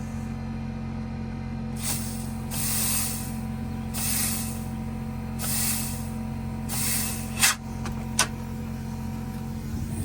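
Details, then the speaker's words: Cummins ISX diesel in a Volvo semi truck after fan clutch replacement, compressed air fed straight through the line disconnected from the solenoid; steady idle with sharp air hisses as the fan clutch engages normally, engine note stays even. "Perfect all we did is just use a little bit of compressed here we disconnected from that solenoid"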